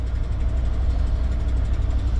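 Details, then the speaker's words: Motorhome V8, about 67,000 miles, warming up at idle: deep steady rumble with faint quick puffing tick from a leaking passenger-side exhaust manifold; new manifold and gasket waiting to be fitted. "the big engine exhaust leak uh that one exhaust manifold on the passenger side I'll have to get to that job pretty soon"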